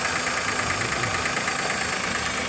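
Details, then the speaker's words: Maruti Suzuki WagonR K-series with inbuilt CNG kit, idling: smooth on petrol, but on switching to CNG an uneven lumpy beat with skipping pulse; cylinder misfire traced to faulty CNG injector, no check light. "और यहां पर CNG में convert हो गया और CNG में इसका missing ए ए है"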